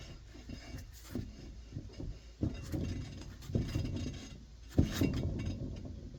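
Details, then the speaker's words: Subaru Crosstrek with the wheel turning slowly, recorded close up: a dull knock about once a second, "tuk, tuk, tuk", from a totally worn rear wheel bearing; the car felt unsafe at highway speed. "You hear that? Like, tuk, tuk, tuk, tuk, tuk, tuk. The bearings are totally gone."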